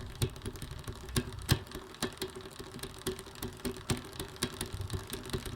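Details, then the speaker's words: Electric bike rear, with uneven light ticking and scraping over a faint motor hum as the chain rubs the frame at the smallest cog because of a misadjusted derailleur. "if the derailleur isn't adjusted properly the chain can rub against the frame usually in the smallest cog right around here"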